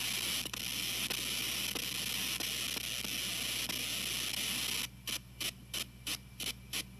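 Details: TG-TEK tablet with headphones plugged in while downloading or multitasking: steady hiss with faint ticks about once a second, then short bursts roughly three a second before stopping; electrical noise on audio output.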